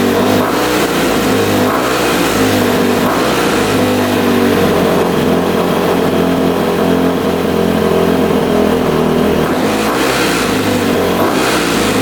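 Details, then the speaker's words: Rebuilt 2006 Honda CRF250R, apparently the first start since the rebuild after adjusting the throttle screw: steady single-cylinder running with smooth throttle blips, picking up cleanly and settling back; healthy. "Well, she fired right up. Took a little bit. I adjusted the throttle screw down below, and that seemed to work. Fired right up after I did that. And yeah, sounds really good."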